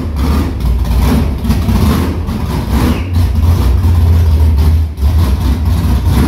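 Loud, deep, lumpy V8 idle holding steady with an even beat and no knocks or clatter; sounds healthy and ready to drive.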